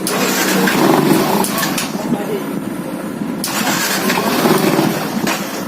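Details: Fuel-injected Yamaha FZ motorcycle starts, runs unevenly and dies; revs sag and won't climb when the throttle is opened. The engine won't take throttle; cause suspected, not confirmed.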